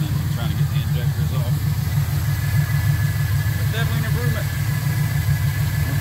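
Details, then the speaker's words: LS V8 in a C10, run on Holley Terminator X engine management after ultrasonic injector cleaning, now firing on all eight after two loose spark plug wires were fixed; deep steady idle, even beat, no stumble or miss, still learning — normal idle. "so happy about that i think my injectors are all doing fine so it's still learning what i wanted to do but it sounds pretty good"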